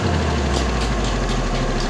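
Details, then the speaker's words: Vespa LX 150 (2007), over ten years old, idling during service: steady low idle with a slight uneven pulse, a mild roughness that is normal character for this engine. "Ya emang karakter mesinnya sedikit rada kasar"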